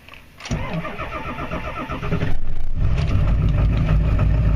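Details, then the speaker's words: Cold start of a diesel tractor (no muffler, 5-inch exhaust) at about 29 degrees after sitting in a roughly 50-degree shop, not plugged in, glow plugs cycled twice; brief cranking, catches within a second, steady diesel clatter at idle. Normal cold start. "Not too bad for not being plugged in."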